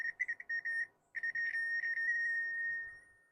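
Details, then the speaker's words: Minelab SD2000 metal detector with 4000-series logic being replaced by a Nucleo microprocessor board, leads clipped everywhere: PWM audio driven by the onboard ADC, high thin tone stuttering in rapid chirps then steady; harsh, unrefined prototype audio. "Also, I haven't got it going on. You can probably listen to this horrible audio."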